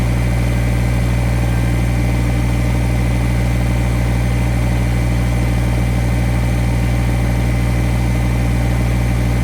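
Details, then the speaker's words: Kubota BX1850 compact diesel tractor, bought around 2008, idling just after a new ignition switch and new battery were fitted; it now shuts off properly, and it is run to charge the battery. Steady, even idle with a smooth low rumble and no misses or knocks; normal. "I'm gonna run it, let it charge up the battery some."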